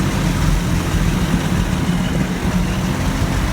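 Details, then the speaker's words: 1984 Toyota FJ60 2F, de-smogged, back on OEM exhaust manifold replacing aftermarket header: even, steady low idle with a smooth deep hum and no misses, knocks or hunting; running healthy. "day number two of putting this back with the oem exhaust manifold um guys just like i figured runs absolutely perfect i've already done a little test start up fired right up first time and uh you will definitely hear how smooth this thing is here in just a second"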